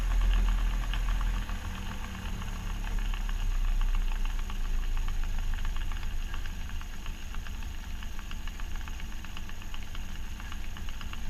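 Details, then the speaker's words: Carburetted boat motor started after 12 months sitting, with carbs kept primed and fresh fuel: steady low rumbling idle with an even beat around three to four per second, no knocks or misses, warming up; normal warm-up idle. "And we'll just let that run. You'll hear it speed up as it warms up."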